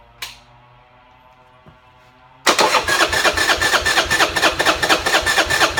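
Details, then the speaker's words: Buell Blast single-cylinder, cold, auto choke enricher not working, no starting fluid: starter cranks unevenly about twice a second but engine never catches; won't start without choke or starter fluid. "Okay, again, I want to show that this bike won't start unless it's got either an auto choke or a spritz of engine starter fluid."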